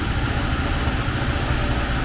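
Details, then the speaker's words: 1979 Porsche 924 engine idling before warm-up: even smooth low rumble, no misses or knocks; sounds good but won't accelerate, owner suspects it needs a new timing belt. "actually it sounds really good now if i can get it to accelerate i imagine it needs a new timing thing there"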